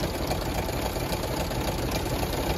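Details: Land Rover LR4 at full operating temperature after about 5 minutes' running, battery light flashing: rough idle with a fast, dull slapping tick. Owner suspects timing chain slap and doesn't think the head gasket is blown; unconfirmed.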